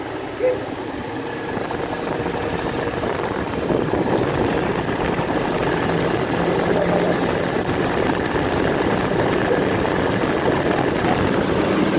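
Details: BMW N62 V8 petrol engine, warm, with busy uneven ticking and knocking that is absent when cold; timing chain set, water pump, valve stem seals, the known pipe and vacuum pump already replaced.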